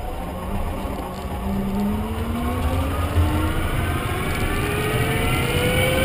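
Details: Renault Zoe Q210 electric car at 63,000 km: several clear whines climb in pitch together as the car speeds up over road rumble; the drive motor is whining.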